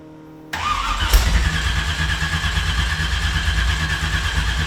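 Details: 375 hp V8 swapped Mazda RX-7, long-stored, cranked with spare battery and booster pack, no throttle: steady low starter churning, never catches; spark plugs found badly fouled, preventing starting.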